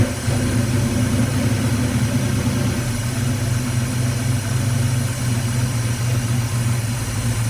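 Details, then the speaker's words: Dodge Challenger V8 just after first start following fuel system refill, timing possibly advanced and throttle blades unadjusted: smooth, even idle with no lifter rattle, grinding or scraping; runs cleanly. "That's pretty good. Sounds great, really. I didn't hear any weird engine noises, no loud grinding, no scraping."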